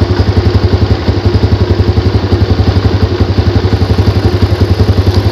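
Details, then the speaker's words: Yamaha Jupiter Z after repair: even, steady idle with no ticking, staying calm whether revved or not. The "dak dak dak" knock came from the starter one-way clutch on the magneto rotor, fixed by replacing three rollers. "Oke seperti itu teman-teman caranya digas sama tidak digas dia tetap sama anteng suaranya sekarang menjadi benar-benar angok"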